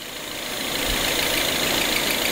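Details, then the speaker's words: Citroën DS5 THP turbo petrol engine at idle with a thin, hissy high chirp over faint engine hum; not the belt, suspected holed PCV diaphragm in the valve cover, noise stops when oil dipstick vacuum is opened. "Eu acredito que não seja correia, tá? Acredito que seja o diafragma da tampa que esteja furado e tá fazendo esse ruído."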